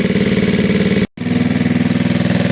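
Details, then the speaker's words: Gilera DNA scooter after carb upgrade, higher jets and a thicker new fuel line, warming at fast idle on the stand without an air box: crisp, regular firing pulses with no misfires or stumbles; idles cleanly, air box still to fit. "i mean you can hear it it sounds great at the moment but it obviously needs some restriction it needs an air box"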